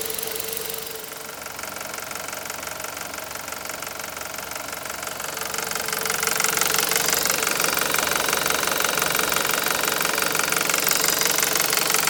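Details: 2001 VW Beetle 1.8T engine running: fast, even ticking knock about three per second over a bright, hissy top end; knock from inside the engine, cause unknown.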